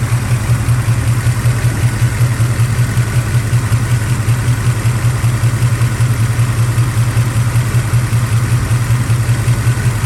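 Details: 1976 Camaro warm idle; temperature gauge reads 210–250 but thermostat housing measures about 180 with no smoke or coolant loss, so not overheating. Steady even low rumble, no knocks, misses or surging; healthy idle.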